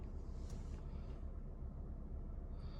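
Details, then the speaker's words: Lexus IS test drive after the repair: low even road rumble, no creak or pop from behind the rear seats on the stretch where it usually starts; cabin quiet. "so far there is not that squeaking sound usually in this part of the road I can already hear it after a few spins around the block uh I cannot hear that sound"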